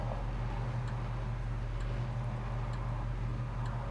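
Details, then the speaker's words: 1967 Chevrolet Chevelle SS, numbers-matching V8, idling while waiting in traffic: deep, steady, even burble, not stalling, sputtering or popping; smooth, healthy idle. "listen here how nicely it's idling it's not stalling out it's not sputtering popping"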